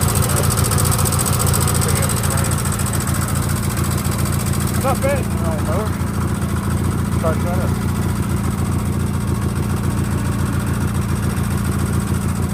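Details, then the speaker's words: Sears GT18 garden tractor with snow plow: steady idle with light quick tick at engine speed; left intake valve has too much clearance, valve not yet replaced. "it uh get fired now if y'all hear that ticking i know what it is i know i've heard people ask me about the house at the house but it is uh i know which valve it is it's the left intake valve it's got too much gap in it"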